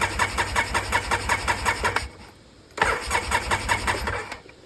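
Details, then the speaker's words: Free Polaris Sportsman 700 quad with cheap aftermarket carburetor, mouse nest found: rapid cranking chatter about two seconds, dies, cranks again and quits; choke won't stay on, revs to the moon, fuel pump suspected bad. "Choke? The choke don't want to stay choked. Maybe if we help it a little bit again. It's immediately revving to the moon. Yeah, my guess is that fuel pump's no good."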